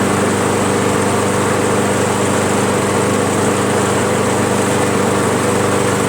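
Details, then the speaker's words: Briggs & Stratton Pulsa Jet/Prime lawnmower after replacing plastic carburetor diaphragm and gasket (previously ran very rich, rough); steady even small-engine drone, no surging, misses or hunting, running smoothly. "and that's it a dollar 84 and you can fix your lawnmower just that easy so now it runs good"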